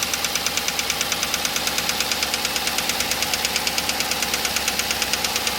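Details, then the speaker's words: Cammed Chevy Suburban V8 with DOD: sharp, even ticking about three times a second at idle from a collapsed lifter on one side, causing a misfire and truck shaking, worse in drive; DOD delete planned. "And you guys can't feel it, but the truck's shaking right now because it's causing that misfire. And you can hear it worse right now that I put it in drive."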